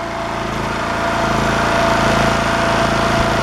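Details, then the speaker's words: Champion generator after a new carburetor and with the air filter assembly refitted: steady, even drone with a smooth regular beat and no misses or knocks, much quieter than before; running cleanly. "It is much quieter now with the air filter assembly on it."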